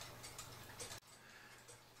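Faint ticking with an uneven tick-tock spacing, the beat sounding lopsided; clock running out of beat.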